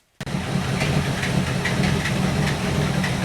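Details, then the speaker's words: 1964 Buick Electra 225 401 Nailhead V8 with freshly rebuilt Carter AFB four-barrel: engine settles into slow, even lope at 500 rpm, dwell about 30; good idle, though an intermittent misfire is suspected to come from points and condenser. "She's idling at 500 RPM, which is good."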